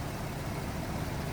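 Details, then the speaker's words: 2006 Hummer H2, 132,000 miles, dealer serviced, recent fuel injection service, no oil leaks; walking past engine bay at idle: steady, even V8 idle, smooth low rumble, no knocking, lifter noise or engine noise; healthy. "there's no knocking there's no lifter noise there's no engine noise"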